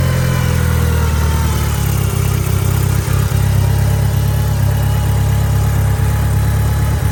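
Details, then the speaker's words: 1990 Mitsubishi Eclipse GSX after engine install, warming up, DSM link not yet connected: smooth, deep steady idle with even low rumble, no knocks or misses; running normally. "There she goes. So she's running. I haven't plugged in the DSM link yet, but everything seems to be running pretty good."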